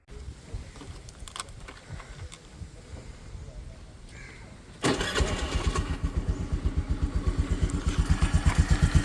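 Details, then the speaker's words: 2018 Honda Dio scooter, second owner, 35,246 km: after a quiet start it catches and settles into an even putter at nearly three beats a second, with no surging or shaking; smooth, healthy normal idle. "Sound നോക്കുകയാണെങ്കിൽ വളരെ smooth ആയിട്ട് തന്നെ ഇരിക്കുന്നുണ്ട് പ്രത്യേകിച്ച് കുതിച്ചുചാട്ടം വിറക്കലും കാര്യങ്ങളും ഒന്നും start ചെയ്തപ്പോൾ ഉണ്ടായില്ല"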